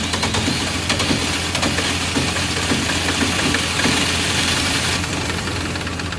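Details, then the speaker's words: Diesel generator started with intake left off: clatters unevenly with irregular knocks and stumbles just after start while air is still being bled out of the fuel system. "Alright, we're still bleeding some air out."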